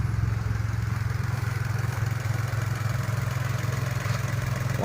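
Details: Nissan Almera/March petrol engine after replacing a failed spark plug coil that had caused stumbling, shaking and a check engine light: smooth, steady, even idle with no stumble or misfire.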